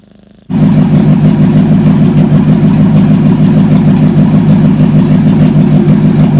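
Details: Chevy 283 V8, run on the shop floor after ignition timing advanced a bit: fires up and settles into strong regular lope at steady speed, no misses or knocks; healthy running.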